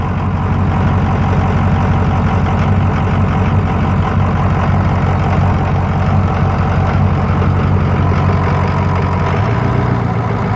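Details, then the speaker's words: Rebuilt Ford Super Duty diesel, first fire after the rebuild, primed and cranked until oil pressure showed, FICM relay refitted: even idle with steady injector clatter close to three beats a second, no misses or heavy knocks; healthy running. "All right, you guys want to hear one of the best sounds that you'll hear? All right, the injectors are clicking."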